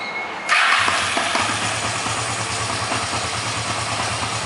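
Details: 1987 Kawasaki 305, 11,000 miles, revived after sitting outside over 3 years, new spark plugs, fed from a bottle: catches after brief crank, quick even idle on choke with regular firing; sounds healthy.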